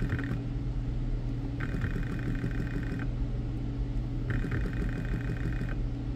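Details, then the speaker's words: BMW E60 electric water pump bench tested dry on 12 V (pins 1 and 3 positive, 4 ground): low hum surging briefly and dropping back twice, never reaching steady whir; pump motor failing, pump shot. "well having trouble getting it it'll ramp up sometimes there we go so not sound in the greatest definitely an issue with the pump yeah it's dry but it's shot anyway"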